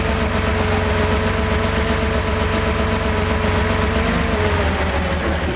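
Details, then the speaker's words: Freshly rebuilt Porsche 2.7 L engine with CIS fuel injection: uneven, lumpy idle with stumbling beat and soft exhaust pops, partial misfire; cylinder 2 located by cracking fuel distributor lines, leak-down good at about six percent, traced to a restricted fuel distributor port. "those problems were a high idle we had a rough idle as well with a partial misfire popping in the exhaust"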